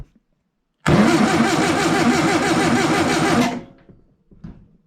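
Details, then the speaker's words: Long-stored air-cooled VW engine, distributor reassembled after points cleaned and adjustment guessed, 12 volts hooked up: steady cranking about three seconds, roughly two beats a second, no firing; engine wobbly, only one weak spark, contacts still dirty. "Once again. Nothing, and the engine is very wobbly."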